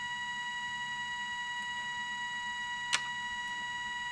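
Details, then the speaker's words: Soviet 1969 "Signal" pocket radiometer with two Geiger counters, in Alarm mode; rather quiet, steady high-pitched tone with faint pulsing ripple and one brief click; radiation alarm triggered. "If the set dose rate value is exceeded, the audible alarm will be triggered."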